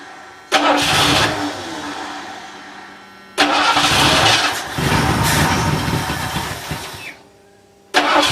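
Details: Ford LTD started on a new $80 eBay 2150 Ford carburetor, screws unadjusted, replacing a carb that poured gas, car not run in a couple of years; catches straight away, steady even idle, shuts off and restarts cleanly. Normal start and idle.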